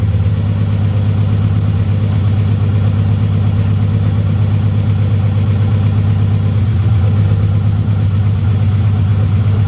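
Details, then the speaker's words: BMW 316i E46 idling after four and a half years off the road, following clutch, flywheel and engine reinstall, with no exhaust fitted: very loud, raw, steady idle with an even deep throb and no misses. Engine running fine. "we don't have any kind of exhaust so it's going to be loud extremely loud"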